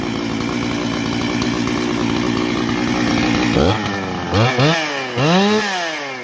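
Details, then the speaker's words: Husqvarna 268 chainsaw on first run after complete rebuild: smooth steady idle, then three clean throttle blips rising and falling crisply with no bogging; normal running. "Boy, does that sound nice."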